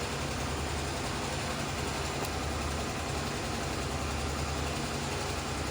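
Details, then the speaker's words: Honda CBX 250 Twister after fixing an engine noise: steady, even single-cylinder idle with low chugging beat, no tapping or chain rattle; noise gone, only normal engine sound. "Então vocês podem ver aí que barulho zerou, ficou apenas o barulho natural do motor dessa moto."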